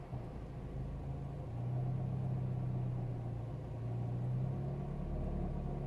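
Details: Renault Megane I ph2 1.6 16V K4M, warm engine with throttle held, recorded in the cabin on the passenger side: low drone with a dull rattling knock. The cause was a loose oil pump chain, with the pump slightly binding.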